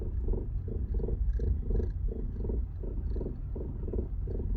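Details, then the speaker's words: VW Polo suspension, rhythmic rubbery "chewed cat" groaning about three pulses a second while driving, felt slightly in the steering wheel, turning right and reversing; damaged bushings, noise gone after replacing two. "В общем оказалось что это были повреждены саленблоки у кого будут подобные звуки рекомендую обратить внимание на замену Сален блоков"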